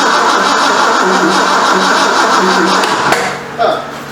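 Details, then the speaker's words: 1973 Ford Mustang Mach 1, 351 Cleveland, first start after engine reinstall; starter churns about four beats a second, never fires. Owner temporarily connected a wire he thinks is the coil hot wire; cause unconfirmed. "I think that is the hot wire for the coil. Seems like we would have pop or spit or something."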